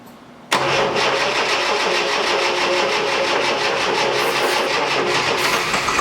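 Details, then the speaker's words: 1973 Triumph TR6 restoration, first start attempt in 2 years: steady slow whirring crank, about four beats a second, never fires; owner suspects weak starter and plans to replace it. "okay so looks like web combinational issues here with the engine and obviously it's possible because this engine hasn't been dusted so I'm thinking first of all would have a week starter first of all I'm gonna change the start the other started here to this"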